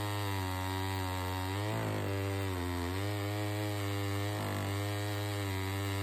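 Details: Saw 113 under cutting load after sawdust was found past an air filter that was not seated correctly; filter refitted. Strong steady high whine sags briefly each cut and snaps back: normal, healthy running.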